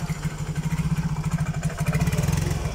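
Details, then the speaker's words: Yamaha Mio J scooter throttled after a new spark plug cap: uneven, choppy exhaust pulses, and the engine chokes and won't pull cleanly. It still sputters and hesitates, and the exhaust sounds clogged. "Nah ini baru kelihatan kalau penyakitnya memang Brebes Sore sudah saya ganti cokusi ini saya gas gini Hani dia nggak kuat ya Masbro"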